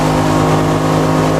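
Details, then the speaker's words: Oil-injected two-stroke outboard running under way on Lake Washington; it ran slightly rough earlier, possibly from overfilled two-stroke oil. Loud, steady drone with no misfires or surging, running cleanly. "Well, we've been running around, and it runs really good."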